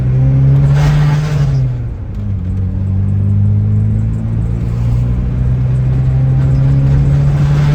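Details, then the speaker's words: VW Scirocco 16V at operating temperature; deep engine note with loose buzzing rattle and chirp as revs rise, worst at 4000-5000 rpm and when warm, from the heat shield between fuel tank and rear exhaust, held by an unhooked clip. "you can see the heat shield sandwiched between the gas tank and exhaust pipe. Car is now up to operating temp. This is the main issue you're hearing."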